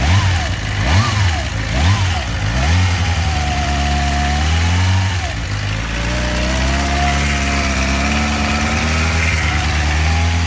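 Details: 2007 Suzuki GSX-R600 blipping and idling: a clear thin whine over the exhaust at low rpm, seemingly from the top end on the right side, which began after the bike fell over in the garage.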